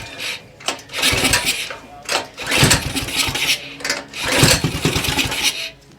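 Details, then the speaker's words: Non-running Axis M200 196cc mini bike (a Coleman CT200U-EX clone), throttle slightly open with carb spray in the intake: it pops and catches briefly on the spray, then dies, pointing to a clogged carburetor. "Oh, she's popping over. Looks like we got us a runner."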